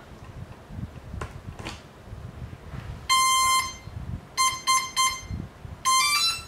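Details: Cheerson CX-20 drone after a bad crash, resoldered motor wires and replaced capacitor (earlier soldered reverse polarity and smoked): on battery only shrill long and short beeps, no LEDs, works only on USB power; owner suspects fried flight controller, unconfirmed.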